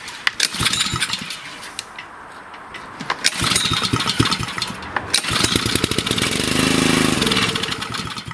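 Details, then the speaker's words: Honda engine on a wood splitter, sat unused about 5–10 years, air filter off, choke on: quick pulls, a ragged catch that sputters a few seconds then dies; starts and dies right away, likely a gummed carburetor. "So basically that's all the machine does is it starts and dies right away. Typically, it's a carburetor issue. I've seen this many times."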